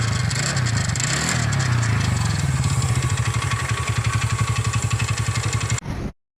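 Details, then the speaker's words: TVS Ntorq 125 scooter: rough rattling clatter as the engine cranks and catches, then an uneven knocking idle around four beats a second; the one-way starter clutch bearing was completely damaged and replaced with a genuine part. "ఈ బండిలో complete ఏంటంటే బండిలో అనేది engine sound వస్తుంది. ఈ బండిలో అనేది one way bearing sound వస్తుంది."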